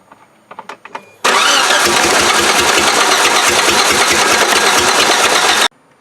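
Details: Suzuki Sidekick after 8-valve to 16-valve engine swap, first start attempt with distributor timing just adjusted (seemed too advanced): cranks, catches and roars briefly with a ragged beat, then cuts out abruptly and dies; engine starts then stalls.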